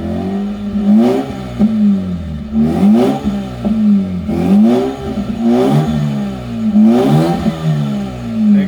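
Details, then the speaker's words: Mazda RX-8 rotary, running after refitting the missing fuel pump fuse, a bit low on fuel: blipped repeatedly to about 5000 rpm, smooth rising and falling buzz with no knocks or misfires; runs healthy. "So, it's a bit low on fuel, I think, but it's running all right."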